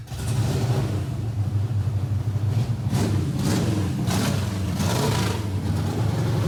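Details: Kyle Petty V8 race car fired up after the distributor hot-wire electrical fault was solved, with new chassis headers and exhaust; deep idle, then sharp clean blips that climb and fall. Voltage drop remains on cranking. Normal running.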